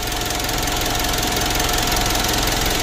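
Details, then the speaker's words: Mitsubishi Pajero Sport Dakar 2012 (owner thinks 2012) diesel, revved after refitting the turbo that caused a rough engine noise: even steady clatter with clean turbo hiss, no rasping; turbo now sounds clean and healthy. "Hai untuk suara turbonya sudah bagus dan bersih hanya pun sudah lumayan ya tidak seperti yang lalu begitu"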